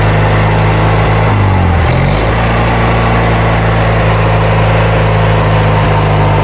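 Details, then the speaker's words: Kohler Magnum 20 engine's first start after repairs, run from a temporary gas tank with the carburetor just refitted and the choke left on (choke cable frozen). It sags and surges before settling into an uneven beat: rough running, carburetor needs adjusting. "Enough of that noise, right? I'll get it adjusted."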